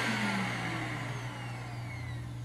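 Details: Greenote corded AC stick vacuum (18 kPa, HEPA, bagless): smooth steady motor hum with even unwavering tone, no rattles or scraping; runs smooth and quiet, normal.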